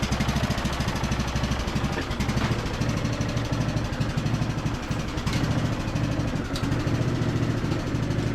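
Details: Briggs and Stratton–powered Craftsman DLT3000 riding mower on test drive with deck engaged after no-start repair: steady quick single-cylinder putter, even beats, no knocking or misfire; engine and deck healthy, though deck engagement cable sticks.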